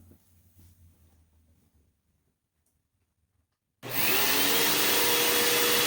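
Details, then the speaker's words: Hoover Elite Rewind Plus upright vacuum, reassembled after repair with new exhaust filter, first switch-on before suction-gauge test: near silence, then a steady, even high whoosh with no rattles, surging or grinding; seems okay though not perfect. "yeah all right seems okay I don't uh I don't think it's perfect by any means"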